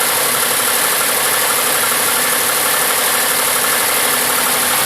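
Cold idle with a loose, fast tapping knock riding over a hissy engine note; cause not pinned down.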